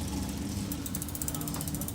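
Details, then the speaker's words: Bicycle drivetrain: fast, rough clicking with pedal spin after partly backing in the rear derailleur B-limit screw, upper pulley too close to the big cog; remaining chunkiness partly from front derailleur rub. "still a little chunky part of the chunkiness that i'm getting is also from front derailleur rub"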